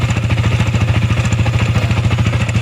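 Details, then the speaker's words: Sniper 155 VVA motorcycle engine at idle, not yet revved: quick regular top-end clatter of about eleven taps a second; owner suspects cam bearing or rocker arm/camshaft noise, engine to be opened for inspection. "So ang tunog niya ah kadalasan is yung sa sniper, yung sa cam bearing, yung sa kanyang sa rocker arcam."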